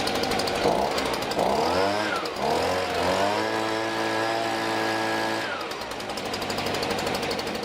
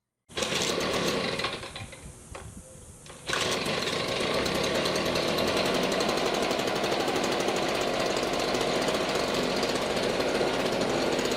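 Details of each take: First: STIHL BG55 two-stroke blower after a new spark plug, air filter, fuel filter and spark arrestor, on fresh mixed gas: revs smoothly to a clean high whine and returns to an even idle. Normal running. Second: 10-year-old STIHL BG55 two-stroke blower, never maintained, past RPM issues, cracked gas bulb, baseline before new plug, air filter, gas bulb and spark arrestor cleaning: high fairly steady buzz after a dip near start, slightly uneven beat; runs a bit rough.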